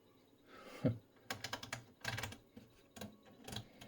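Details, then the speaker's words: Schlumberger 4910B SSB analyzer (1980) in telegraph relay test mode: quick bursts of sharp dry relay clicks in irregular clusters about every half second as it samples; normal relay clicking. "And we can hear the relays because it's sampling. So now it is in a telegraph system."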